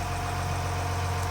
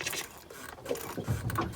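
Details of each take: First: Ford Lehman 120 marine diesel after fuel lift pump replacement and air purged, raw-water pumping confirmed, left running: steady, even idle with low regular thrum, no misses or knocks; normal idle. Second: Ford Lehman 120 marine diesel, just after offshore replacement of failed fuel lift pump, delivery fitting Teflon-taped: irregular sputtering hiss and spitting bursts as air is pushed out through fuel line; air in fuel line.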